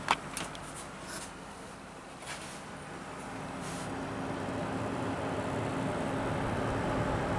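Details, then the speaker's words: Water-cooled PC sound test: soft steady whoosh with faint low hum, rising slightly and staying even, from the Asus R9 390X graphics card fans; radiator fan and pump nearly silent; normal. "the noise that you can hear is coming from the fans of my Asus r9390x graphics card"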